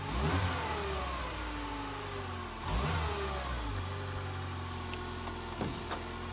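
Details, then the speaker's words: 2000 Fiat Panda Young (141), hot start in very hot weather after a rebuild with new rings, valve seals, oil pump, and timing chain and tensioner: it cranks, catches and settles into a quiet, even idle with no knocks or rattles. Healthy. "come sentite praticamente nessun rumore tutta un'altra cosa ma è proprio un'altra cosa io un motore di panda così silenzioso non l'ho mai sentito"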